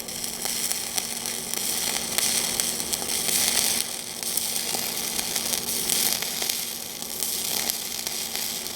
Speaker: I go uphill, 7018, 120 amps. Key contact. Spending a little bit more time at the tippy top than at the root.